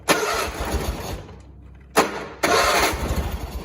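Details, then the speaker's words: John Deere 317 lawn tractor (year unknown), unchoked, not throttled, after fixing a wire pinched by the firewall: two rapid cranking bursts, engine chuffing but never catching; hard starting, cause unknown. "Come on, don't make me a liar. Hold on, it seems to be hard to start for whatever reason."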